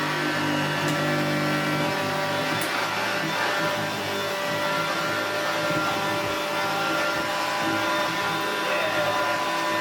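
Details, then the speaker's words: Hoover Junior 1334 upright vacuum after restoration and motor reassembly, where a homemade rear motor bearing was found as the likely cause of earlier noise: a smooth, even motor roar with a steady high whir and no rattles or surging; running normally. "That's sticking itself down to the floor. That sounds superb."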